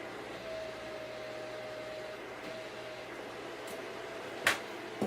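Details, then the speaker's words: Packard Bell iMedia S3720 desktop tower after boot: steady even whoosh with faint constant hum; rear case fan stuck at full speed while everything else runs at normal speed, owner plans to check BIOS fan control. "everything is going at a normal speed apart from that reader case fan so maybe I'll jump into the BIOS and see if it lets you control the fan speed"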